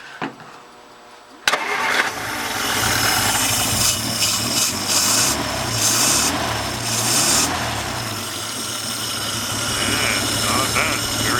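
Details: 1950 Dodge, first start in 40 years, restarted after cooling off with about ten throttle pumps, no choke: short crank, then catches cleanly and settles into steady, even run.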